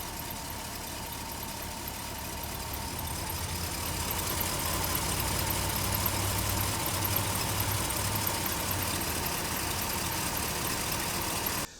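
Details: 1990 Mercedes 560SEC V8 being diagnosed for hesitation, likely still on old, badly fouled spark plugs before replacement: an uneven, lumpy idle that rises then drops off. Rough idle with hesitation, cause suspected, not confirmed.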